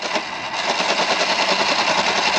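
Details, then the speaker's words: Sur-Ron Light Bee electric motor after Hall sensor replacement, on a test ride under throttle: fast harsh machine-gun rattle and freight-train grinding, no drive; regen also sounds like it is tearing the motor apart. Motor believed blown. "it sounds absolutely awful it was going so well it was so fast it was working exactly how it should be and now I've got nothing"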